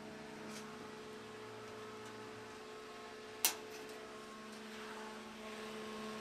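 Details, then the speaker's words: Lincoln tombstone welder found dumped at the roadside after a tumble, powered up with new leads. The fan spins up to a steady, even rush over a faint transformer hum with one light click; it runs normally. "oh that pumps out actually a lot of air so that's just fine I can hear the Transformer humming just a little bit"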